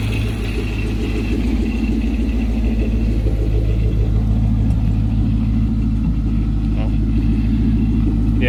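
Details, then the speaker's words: Nearly stock 2014 Mustang V8 with a new Paxton 2200 supercharger: deep idle rumble that stumbles and sputters unevenly, about three beats a second. Attributed to the unfinished remote tune, with further revisions pending. "still got a little bit of a mess at idle you can hear it kind of sputtering they have a couple more revisions to do on a tune so that'll be fixed"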